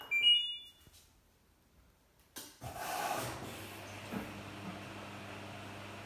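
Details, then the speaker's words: LG F1496AD5 washer dryer on timed dry: a couple of beeps, then a low steady hum that never builds into a fan rush; the dryer fan struggles to start, seized again or lacking power, so it is being replaced. "now if you listen carefully can hear the fan trying to start up but it's struggling so I did get the Fant V yesterday however it's obviously seized again or it just doesn't have enough power to start itself back up"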